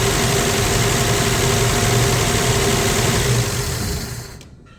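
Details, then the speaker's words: 1965 Plymouth Valiant 100 slant six, first start in years: steady, even idle with smooth low thrum, no misses or knocks, then clean shutoff; idling nice, normal idle. "Woo! Well, that's awesome, man. Well, that sounds good. That's idling nice."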